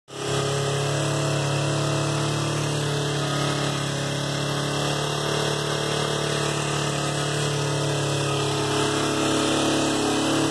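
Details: 2004 Kawasaki Ninja 250 with idle set high: steady idle with faint, uneven tapping about four per second over the engine hum; knock at idle, owner unsure whether normal.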